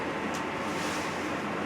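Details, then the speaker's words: New electric hot water tank replacing an 8-year-old failing unit, filling from empty through the cold valve only, hot valve still shut. A steady rushing hiss of water flowing in with no knocks or bangs; normal filling. "so i'm only going to open up the cold valve right now i can hear the water running i can hear it filling up the tank so far so good"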